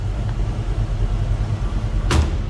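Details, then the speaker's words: 1967 Ford Mustang convertible 289 V8 just after a cold start: slightly uneven loping rumble, steady, no knocks or ticks, sounding like a little cam; normal idle with mild cam lope. "like a little cam to it almost."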